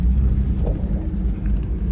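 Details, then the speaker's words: First-gen Toyota 4Runner after Toyota e-locker retrofit in rear axle with 4.30 gears and replaced front differential (welded diff removed), in 4WD through a tight corner: low even drivetrain rumble, no binding, hopping or clunking; healthy. "Let's see how this thing does around a tight corner now. You can hear everything getting some grip."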